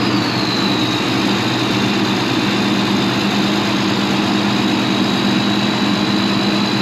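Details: Farm tractor diesel (7530) just started on a frosty morning: steady, even low rumble with a faint high whine, no misfire or knock; normal cold start.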